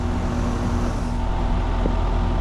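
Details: Goodman heat pump condenser with a piston metering device, running in heat mode at 76°F indoors while being recharged, compressor no longer clicking: a steady, even low hum and fan rush with no knocks. Normal heat pump operation.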